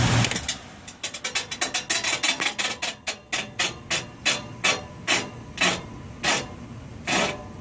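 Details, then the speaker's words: Old York package unit evaporator blower at startup: sharp metallic knocks come fast, then slow to about one a second as the wheel slows. Blower wheel hitting its housing, suspected worn motor bearing; motor was replaced. Blower wheel striking housing. "sometimes you'll get there if the bearing in the motor is and it loses its alignment kind of but you know once it starts it's at a higher velocity starts working"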